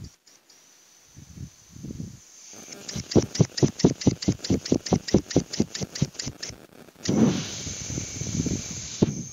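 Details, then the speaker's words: Refrigerator during freon charging after the capillary suddenly clogged, heard by pressing an ear close. Hissing gas pulses in fast surges, a bit over two a second, then a steady hiss; refrigerant is flowing again through the evaporator. "Ini kalau didengerin ditempel telinga ini berjalan sudah berjalan"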